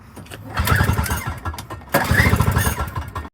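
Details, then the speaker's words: Toro CCR 2450 snow blower, 5 hp, after carburetor clean, new primer, fresh gas and carb cleaner, choke on: two recoil pulls, each a quick rasping spin that dies without a firing pop; spark checker shows no spark, so a new ignition coil is needed. "okay so this thing still wasn't starting after the carburetor clean and fresh gas so I sprayed some carb cleaner in it still wouldn't start so I took the plug wire off put my little spark Checker in there and there's no spark so I have to order a coil"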